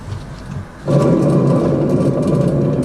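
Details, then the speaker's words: 2011 Honda Civic two-door: the rear hub is spun by hand with the brake caliper bracket removed; a loud, coarse, steady droning growl as it turns shows a badly worn rear wheel bearing. "and our next what we'll do is spin this easier and it's making a hell of a noise"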